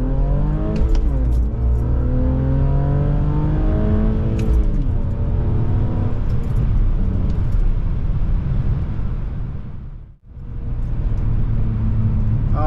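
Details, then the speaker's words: BMW E46 325ci driving after welding its leaky headers, leaking about six months: crisp, even exhaust note rising and falling smoothly with revs, no ticking or puffing from the headers; normal exhaust, headers now sealed. "This is exactly what I was hoping these headers would sound when they're clean."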